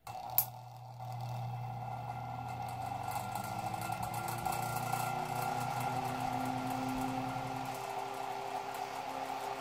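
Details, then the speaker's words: 1940s Chicago Electric Handybreeze 8-inch desk fan, recorded from the back at startup: steady hum climbing in pitch as it spins up, with a loose, uneven rattle throughout; rattle while running. "You can't really hear the startup sound very well through the rattling."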